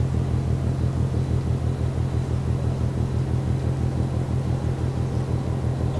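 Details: Rhythmic banging from the ship MAERSK TAIKUNG, Port of Genoa Pra' (PSA Voltri Pra), 1 a.m., 5 Nov 2015, recorded from more than 1 km: deep distant thumping about twice a second, steady over a low rumble; no clear cause.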